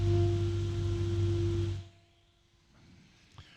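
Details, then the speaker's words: SMTime XY-12038B2H AC fan (rated 3300 RPM at 110 VAC, 40 dBA), serrated blades, at maximum speed: steady low hum with a clear mains-type tone, slightly odd, about 35 dB, then spins down quiet; sounds smooth. "so that's not too loud um it's a bit of an odd noise it's Pro approximately 35 DB"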